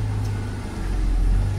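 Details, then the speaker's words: Audi A6 after replacing the power steering pump, which was extremely loud when steering, especially in cold weather: smooth low idle with only a faint hum while steering and no whine; the loud noise is gone. "fakt ist dieses extrem laute Geräusch ist weg"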